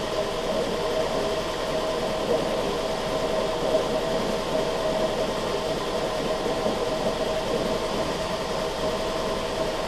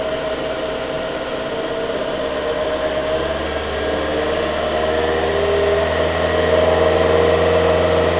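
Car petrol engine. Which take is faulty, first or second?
second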